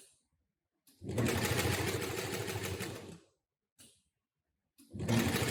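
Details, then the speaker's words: Model 733 industrial sewing machine with Canine HM-750T servo motor and KY9 needle-position synchronizer: quick even needle chatter about three stitches per second in bursts, each stopping cleanly; needle stops in upper position, normal operation. "you can see every time stop so the needle stops in upper position automatically so you can take out material directly at end of sewing"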